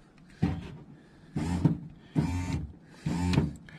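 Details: Suzuki X-90 driver's power window motor (window would go down but not up), removed, cracked, broken and wet with moisture, key on: four short whirring bursts about a second apart.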